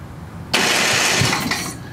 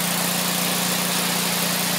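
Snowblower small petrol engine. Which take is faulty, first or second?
first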